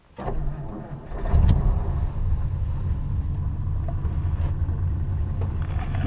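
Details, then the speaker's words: 1952 Mercury starting and settling into a good slow idle during ignition timing check with timing light; quick crank, then low, steady, even burble with no misses or knocks; normal. "Okay, good slow idle."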